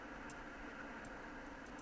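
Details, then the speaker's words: Icom IC-7610 HF transceiver with Digi-Select on while tuning across the 40 m band: quiet hiss broken by sharp, irregular clicks every fraction of a second. Normal preselector relay switching, not an antenna tuner. "there's always a bit of a clicking here sounds like an antenna tuner but it's not it's a pre selector"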